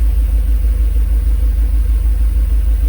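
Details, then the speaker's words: Mercedes SL500 idling during a second Sea Foam treatment: deep, even, steady rumble with a regular pulse, no popping or misses; running pretty good. "It seems to be running actually pretty good. There's no popping or anything."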